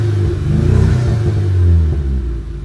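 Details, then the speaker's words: Audi A3 8P 1.8 TSI, parked about a year, after timing chain and injector replacement (one injector stuck open): low, lumpy idle that dips and stumbles unevenly. Misfire; the owner suspects failed spark plugs, which come out dark and some fuel-covered. "But it's had a misfire, and I've not looked at it since that work's been done."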